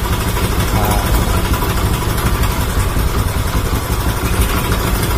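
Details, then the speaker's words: Motorcycle after installing Tobaki coil and Faito spark plug cap, which cured near-stalling at start: steady even idle, no misses or stumbles; ignition firing cleanly, timing back to normal. "Bunyi dia pun dah betul-betul cun dah. Okey, dah. So timing dia pun dah betul-betul cun dah."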